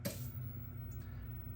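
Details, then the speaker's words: Emerson VHS VCR, owner's childhood unit, switched on: soft clunk, quiet low hum, then another click, the distinct power-on sound it always made; normal. "i always had a distinct sound when it turned on and when it turned off"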